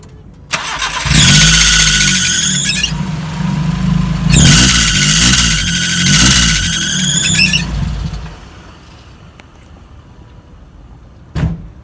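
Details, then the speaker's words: Car started on a cold morning: loud high-pitched squeal in two bursts over the engine from a slipping drive belt, fixed by loosening and retightening the belt with the tensor. "ahora que está el frío a los carros le rechinan las bandas por las mañanas entonces ahorita voy a aprender el carro para que escuchen como suena y les muestro cómo arreglarlo tan fácil"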